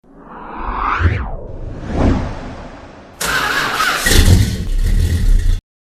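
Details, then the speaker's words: Car cranking on the starter: whirs up unevenly and drops out, then rough grinding crank half the time, engine never catches; mechanic suspects starter or a bad spot on the flywheel, unsure. "Well, that sounded terrible. I think that's the starter, but I don't know why the crank's so uneven. And why it's grinding half the time."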